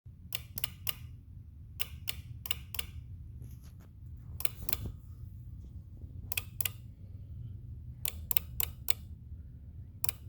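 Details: 2018 Jeep Wrangler JL Rubicon: sharp relay-like clicks in bursts of two or three over a low hum from fuse box or under it, with charger connected to auxiliary battery; cause unknown.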